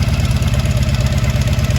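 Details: 1983 Honda V45 Sabre VF750S V4 after fuel leak repair, new battery, fan run manually: steady, even low burble at idle with no misses, ticks or knocks; normal idle.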